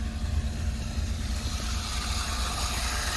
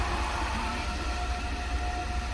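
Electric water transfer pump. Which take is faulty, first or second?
second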